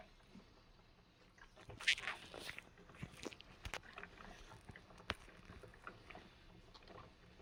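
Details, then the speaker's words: SMEG drip coffee machine after a new thermal fuse was fitted and it was reassembled: quiet irregular gurgles and pops as water heats and pumps through the system; brewing normally after repair. "And there we go. Now water pumps through the system."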